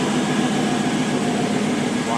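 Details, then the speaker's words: 2002 GMC Sierra 2500HD first start after manifold gasket and stud repair with a welded cover: a quiet, steady idle with no exhaust ticking, only injector noise. A slight buzz is possibly from the injectors, and the bolts still need rechecking. "it's quieter not ricky ticky tabby all i hear is injectors there that's cool wow and it's running too"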